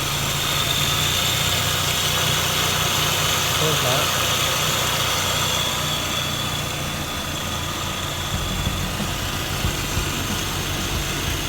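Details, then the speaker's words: Mazda RX-8 R3, 131k miles, after refitting the stock intake with its stock connector: steady, even rotary idle with a smooth hum and airy hiss, no vacuum or sucking noise heard. "let's go listen for noises I don't hear any vacuum noises"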